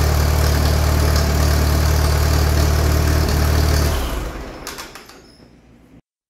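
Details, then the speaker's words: Allis Chalmers tractor engine (Allis B or similar) after magneto timing, started with a ratchet and no kickback: an even, steady low beat with no misses, then it winds down and stops. It runs well. "good news is while I was hand starting it the ratchet didn't kick back at all so we are firing just after top dead center or maybe right out which is good"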